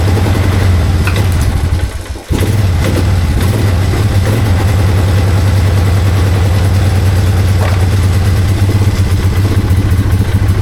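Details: 2001 Polaris Sportsman 500 HO single-cylinder after a no-spark fix, ignition run from the battery; quick even thump after a brief stumble, then steady idle without misfires, though fuel leaks.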